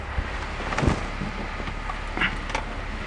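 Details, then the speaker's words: BMW E46 (330i/325i) in park after ZF 5HP19 automatic transmission rebuild and reconditioned torque converter, wheels in air: quiet, even idle with some wind on mic, no clunks or whine. Normal idle. "Well, everything sounds good. Sounds great, actually."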